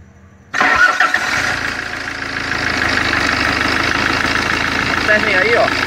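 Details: 2011 Fiat Ducato, F1A 2.3 16v Multijet turbo diesel, after repair of hard cold starting and power cuts, injector returns checked: short crank, catches immediately, settles to steady even idle with clean clatter; normal start.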